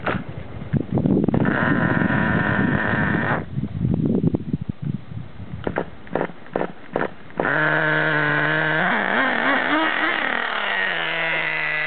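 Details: Nitro Rustler RC truck that still won't start: choppy cranking bursts, then a steady starter whir rising and falling in pitch; the engine never catches and runs.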